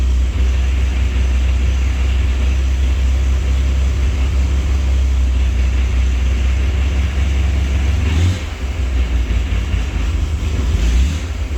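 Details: 1965 Chevrolet Corvair at start-up: a deep, steady rumble at idle in neutral that eases off noticeably when the clutch pedal is pressed.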